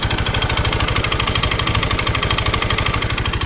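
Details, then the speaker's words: Honda Beat scooter, owner reports rough sound, smoke and oil used up every three days: fast, uneven clattering knock over a rough idle, about three beats a second; broken piston and scored cylinder. "dia ke sini dianterin katanya motornya suaranya kasar dan ngasep dan juga sering habis 3 hari olinya habis nah ini suaranya ya teman-teman ya"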